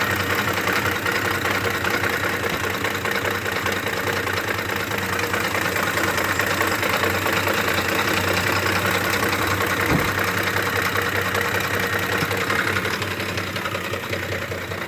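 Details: 2009 Ford F-150 5.4 V8, 161k miles: intermittent rough idle, shaking and irregular chatter two to three beats a second, RPM unchanged, clears after a slight rev; mechanics suggested cam phaser, timing chain, VCT solenoid or oil pump; never found.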